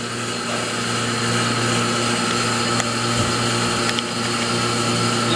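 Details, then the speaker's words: Vacuum pump on a screen-printing exposure unit pulling down to hold the screen and film tight. There is a steady motor drone with an even hiss, and the sound changes once it is held in place, which means the vacuum pump is running normally. "see it suctioning you hear that sound change all right when that sound changes this is held in place it will not move right"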